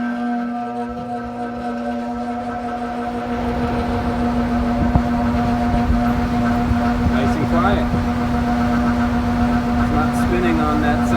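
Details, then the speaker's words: Furnace air handler blower after fixing screeching by widening the squirrel-cage wheel's center plates with a screwdriver: spins up to a smooth steady hum with no scraping or rattle, motor and wheel not replaced. "that's it you might not even have to take the squirrel cage off you might not need a new motor you might just widen that center plate that pinched in between the Center plate there"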